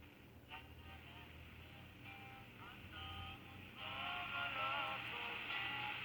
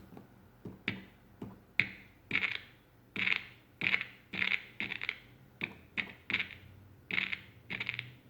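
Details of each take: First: 1960s Americana (Panasonic-made) handheld transistor radio after repair of a frayed connection and the headphone/speaker switch; clear station music and voices over steady hiss, treble cut near 3 kHz: receiving and playing normally. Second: 1960s Panasonic-made Americana handheld transistor radio: irregular scratchy crackles and dropouts, one or two a second, each time the volume control moves; volume control suspected failing or dirty, not confirmed.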